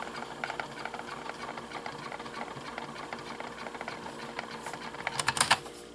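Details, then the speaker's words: GPX C3021D portable cassette player, never repaired, original belts, fast-forwarding; steady busy mechanical whirr with light ticking held even throughout, good drive strength; normal fast-forward run. "Ahí escuchamos que el ruido es bastante bueno, así como se escucha. Quiere decir que sí tiene muy buen impulso."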